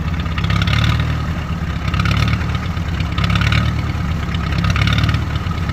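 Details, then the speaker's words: International Harvester B275 diesel, cold, started with ether because the glow plugs aren't sorted: idle swells and sags about every 1.25 seconds, hunting; better when warm, owner suspects the diaphragm. "it it's kind of hunting still um so that's been the issue that I've been fighting it seems like it gets better the more it warms up but right now it's cold as all get out"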